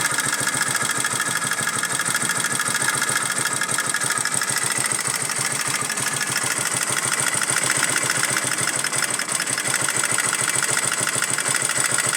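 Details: Motorcycle pushrod engine at idle: fast, even ticking over a steady idle, a strange clatter in the top end, source unclear.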